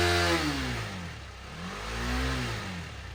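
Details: 2018 KTM Duke 250 left dead for one year, after fully charging the flat battery to 100% with a smart charger. Engine catches and runs, revving up and settling twice with clean rising and falling pitch: healthy, normal running after sitting.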